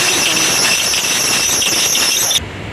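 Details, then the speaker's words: Volkswagen Ameo at start-up: loud, steady high-pitched squeal that cuts off after a couple of seconds, also worse under load such as AC on; serpentine belt slipping from a worn tensioner. "അപ്പൊ ഇതാണ് sound അപ്പൊ belt slip ആവുന്നുണ്ട് belt free ആയിട്ട് പോകുന്നുണ്ട്"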